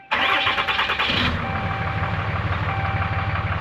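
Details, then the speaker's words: Cummins 6.7L after an oil, air and fuel filter change: it first died because the fuel filter drain knob was left loose and leaking fuel. After tightening, the starter cranks briefly and the diesel catches cleanly into a steady, even idle. "All right, that's a lot better."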